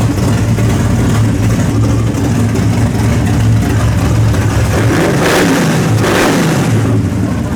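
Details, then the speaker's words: Worn-out 350 V8, timing set at 34 degrees: a deep, steady burble with clean throttle blips that pick up crisply and settle back; runs smooth and healthy. "Well, that thing sounds a whole sight different than it did the other day. That sucker sounds good. That sounds good."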